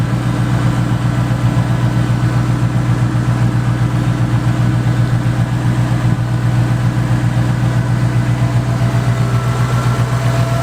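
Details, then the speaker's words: Ford single-turbo 5.4 engine, head work by Modular Head Shop, idling in driveway after start: steady even low rumble, no misses, knocks or hunting; smooth healthy idle. "it's pretty tame does it sound like anything crazy but it's very fast and it's very unassuming based off just how smooth it idles"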